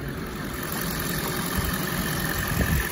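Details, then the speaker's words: Wrecked 2010 Audi A8L, 4.2-liter V8, hood open; engine said to run beautifully with no weird noises, very quiet. Smooth steady low idle, even hum, no ticking, knocking or misses: normal idle. "in it we have a 4.2 liter v8 from audi engine runs beautifully absolutely no uh weird noises or anything like that coming great tolerances for the engine"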